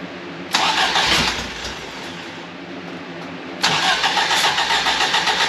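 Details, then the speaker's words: Fiat X1/9 after clutch replacement, not run for a few days, engine not yet tuned. Starter cranks, engine fires, dips, catches again, then settles into an uneven lumpy idle; rough idle, cause unconfirmed. "so we're going to fire it up hopefully it'll it's probably not going to sound the best because still haven't like tuned it or anything like that"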